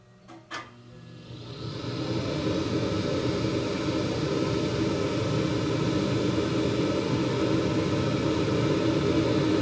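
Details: 2021 Carrier gas furnace after inspection, cleanup and filter change, viewed from the burner: ignition click, then a smooth swelling roar settling into a steady even rumble; the burner lights and runs normally.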